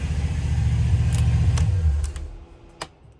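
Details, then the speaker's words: 1996 34-ft Bayliner yacht, one of twin 5.7 engines, water valve on, blower running: deep, even burble about two seconds then clean wind-down at shutdown; normal steady idle with no misses. "Hit the ignition. And you can hear we got a running motor on that side."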